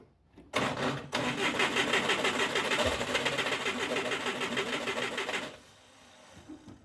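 Starter spins the engine at about three turns a second for five seconds, with no firing or pickup; it cranks but won't start. Cause suspected, not confirmed.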